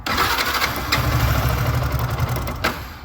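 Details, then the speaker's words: Yamaha R15 v2 motorcycle revived after sitting unused a couple of years: short crank, then a ragged, uneven start that never settles; won't hold idle and shuts off at idle. Owner suspects the spark plug and may replace it. "I don't know if the bike will pass the emission test because it just won idle right it just turns off in idle"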